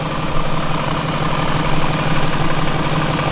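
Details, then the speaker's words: BMW E39 540i, March 2000, 280,000 km, 4.4 L V8 286 PS, slightly leaking oil: deep, smooth, even idle burble with no knocks, ticks or stumbles; engine judged to sound good; healthy idle. "beide Seiten eure Motor hört sich gut an"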